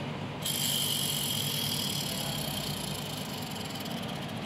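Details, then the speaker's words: Car clutch release bearing spun by hand gives a dry, rough whirring hiss with a high-pitched edge. The bearing race is worn, and the bearing needs replacing. "Nah itu suara dari deaker yang kita putar dia berbunyi seperti itu kalau seperti itu otomatis harus dilakukan penggantian"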